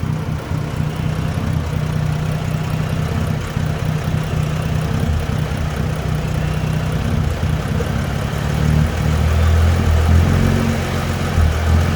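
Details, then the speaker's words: Dodge Journey alternator test, one cable disconnected, recorded standing in front of the car with nobody on the gas: idle swells and sags every few seconds, hunting idle; owner asks whether the alternator is bad, not confirmed. "i'm out here in the car i'm out here in front of it the idle going up and down bad self"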